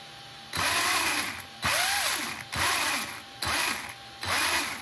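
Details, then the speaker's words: 1/10 Reely RC touring car chassis with Razer Ten combo and 20 kg Power HD servo: short whirring bursts about once a second that strain in pitch, one wheel not turning freely as if too tight; cause unknown, front fine. "Ah, j'ai une roue qui tourne pas. Trop serré."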